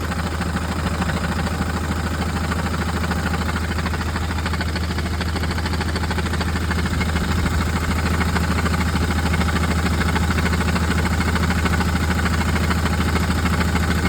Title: Fiat Ducato 3.0 6speed Rattling noise from the gearbox, maybe the clutch?